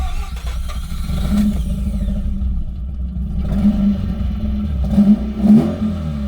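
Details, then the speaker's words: Mazda RX-8 rotary, after missing fuel pump fuse was fixed, possibly low on fuel: catches and runs with an even buzzy note, blipping up and settling back smoothly, sounding healthy. "it's running all right. There you go, guys."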